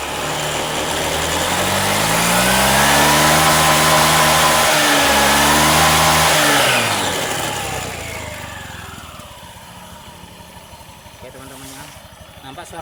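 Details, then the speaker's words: Honda Beat scooter with newly fitted CVT drive belt, tested before closing cover; revs up and back down smoothly with even note and no whine, which would indicate a loose belt. Normal belt operation. "halus ya halus dan digas enggak bunyi Wing gitu kalau dikasih bunyi Wing gitu biasanya karena fanbelnya sudah kendor"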